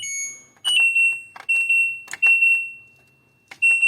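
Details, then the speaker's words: LG washing machine after control module repair (resistor replaced, corroded traces restored), beeper previously very quiet: clear, loud high-pitched beeps in short irregular bursts; panel beeper now sounds normally. "бачите все працює звук є ось таке от відео"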